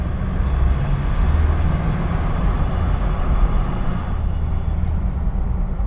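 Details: Ford Ranger Raptor on the move gives off a deep, rough, continuous grinding drone, cause unknown.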